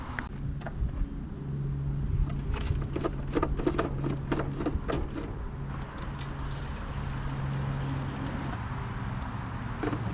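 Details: 1991 MTD 12/38 riding mower under restoration: a few cranking clicks, then the small engine fires right up and settles into a steady, even idle; normal start and idle.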